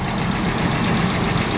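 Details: 1985 Jaguar XJ6, tappet stake-down not done: steady low idle with a faint quick ticking on top; owner wonders about tappets but they don't appear to hit the cam. Cause not confirmed.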